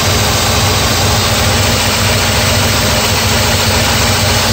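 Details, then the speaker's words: 1984 Mercedes 380SL after the high-idle fix, with the idle controller and air control valve now regulating it to about 900 rpm: the engine holds a steady low idle with an even rumble and no hunting. Normal idle speed. "anyway the high lidl is fixed you can hear it here"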